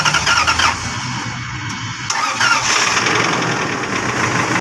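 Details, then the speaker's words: Lexus 470 V8 cranking: harsh scraping grind with high screech only while starting, like something breaking inside, then it catches; failing starter motor, repaired. "Start करते वक्त गाड़ी इस तरह चीखे मारती है और इस तरह की साउंड करती है कि जैसे इसके अंदर कोई चीज टूट रही हो"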